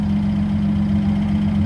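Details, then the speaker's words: Twin-turbo V6 Mustang after DW 340lph fuel pump install: steady, even idle with smooth low hum, no misses, knocks or hunting; bigger pump fine at idle, driving still untested. "so idle seems fine but driving might be a different story"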